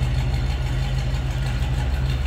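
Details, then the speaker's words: 1949 Cadillac Series 62 four-door sedan, 331 V8, after a cold start; deep, even low rumble with steady idle rhythm, no knocks or misses; idling smoothly as the Cadillac V8 should. "just kind of sounds like you'd expect that Cadillac V8 to sound of course 331"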